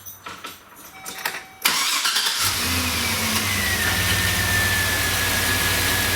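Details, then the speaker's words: 2005 Chevy Silverado 2500HD 6.0 V8 after new spark plugs, wires and coils: cranks, revs, settles into smooth even idle, AC compressor off; earlier slight idle misfire, probably cylinder 8. "yes that is much ni I turned off the AC compressor so that we didn't hear that uh that's much smoother"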